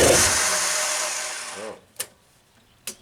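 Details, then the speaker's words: 1992 Genie boom lift engine starting on ground control after the fuel line was moved to the main tank: runs briefly, its note sagging and fading until it dies within two seconds, leaving only clicks; suspected lack of fuel. "it work up a little bit sounds like the lack of fuel again"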